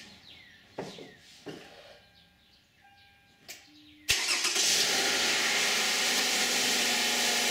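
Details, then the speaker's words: 2010 Toyota Camry 3.5 V6 (2GR-FE) with 152,000 miles on Mobil 1 5W-30, cold start: brief crank, then a steady, even fast idle with lights and alternator load on, no A/C compressor or fan. It sounds normal. "This is going to be the cold start of a 2010 Toyota Camry V6 3.5 with 152,000 miles, and let's see how it sounds."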